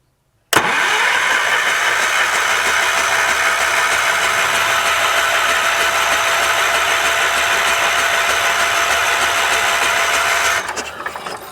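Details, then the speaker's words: 1978 Wheel Horse C-121 garden tractor on a jump box: even starter whirr, cranking about three beats per second for ten seconds, never firing; owner unsure about the old coil and ignition system. Cranks but no start. "I don't know about these coil and ignition systems. Here, let me put you guys right here for a minute. Will it shock me if I touch that while I'm turning it over?"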